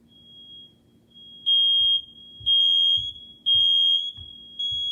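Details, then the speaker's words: Two household smoke detectors set off deliberately during a fire alarm reset: loud high-pitched beeps about once per second with a fainter second alarm underneath; both detectors sound as they should on test. "I'm getting ready to, set the smoke detectors off. I'm gonna set you right here so you can hear them both."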